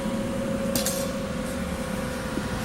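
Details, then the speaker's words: New Harbor Freight Vulcan Omnipro 220 welder on 120 volts, at power-up: smooth steady fan whir with a constant mid-pitched whine, less high-pitched than a Lincoln Weld Pack 140; cooling fan running normally. "So you can hear the fan running. About the same, but just not as high pitch of a whine on the fan."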